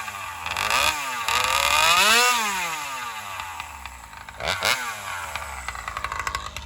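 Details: Alcohol-fuelled chainsaw cutting after a fuel line swap, camera set further back to watch the exhaust pipe. It screams up freely, then the pitch sags and wavers as the cut goes on; owner suspects lean running, starving for fuel on the high-speed circuit.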